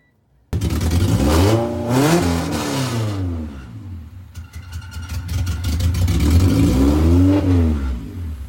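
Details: Engine cranked to prime injectors and squirt fuel, then catches after a short crank; revs climb and fall cleanly twice with no misses or knocks; normal start and running.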